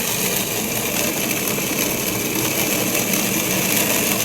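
Steady crackling hiss, like gravel rushing through the pump: cavitation from vapor bubbles collapsing downstream.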